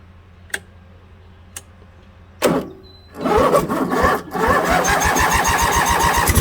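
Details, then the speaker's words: Craftsman lawn tractor with a Briggs & Stratton opposed-twin engine after a carburetor repair to cure surging, choke on, half throttle: a few pulls, then an even, slightly fast idle with no hunting; idle screw may need backing off. "so that did the trick guys usually it does"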